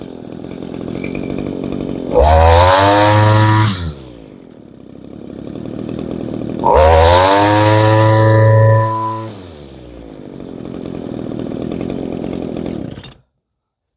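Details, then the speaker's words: Old Echo curved-shaft string trimmer powerhead, small two-stroke, after adjusting the high-speed mixture and setting the idle: two sharp revs to a high scream, each dropping back cleanly to a steady idle; runs really great and starts nicely. "You couldn't ask more out of a string trimmer and power head assembly than than this one gives. That that's runs really great for an old machine. Starts nice, too."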